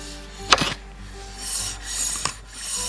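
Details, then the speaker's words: NIU KQi3 scooter after new brake pads, with the caliper adjusted too far: a hissing grinding scrape swells once a revolution as the wheel spins; the brake pad is rubbing the disc, and backing it off slightly cures it. "and you can hear that grinding noise. So what we want to do now is just back it off very slightly."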